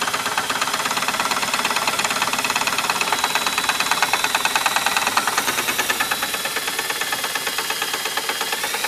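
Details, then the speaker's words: 1958 Gravely LI magneto spun with a drill on the bench, with a poor ground. Crisp snapping sparks about three a second arc over the drill's whir; the spark looks a little orange, but the magneto seems okay. "So, run her with the drill and see what she does here. You hear that one arcing?"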